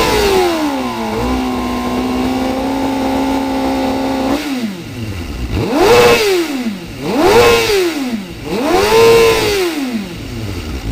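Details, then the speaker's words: Engine with fuel pressure dropping when driven and failed fuel delivery test, previously cutting out before 8,000 rpm and topping out at 117 mph: steady idle then three clean, quick blips rising and falling smoothly, revving normally for now. "I know I hear it actually it's revving how it should rev right now which is confusing me"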